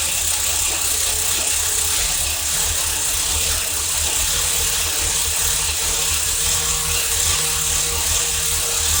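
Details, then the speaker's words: Chevrolet Camaro IROC third-gen, first start after over a year of work and distributor re-timed 180 degrees: uneven clicking, rattly ticking over steady idle, no fuel leaks; owner suspects some noise is exhaust, cause not confirmed. "It is a little noisy. Yeah. I got to figure out what that noise is, though. So some of that noise could be exhaust."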